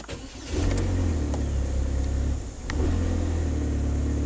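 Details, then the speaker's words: 2010 Chevy HHR 2.2L Ecotec with start-stall, mass airflow sensor unplugged as a test: engine now keeps running at a steady low rumble, with scattered light clicks and a loose rattle underneath of unknown source. "it's running we have no mass airflow data something sounds kind of radley under there but i think we're on the right track"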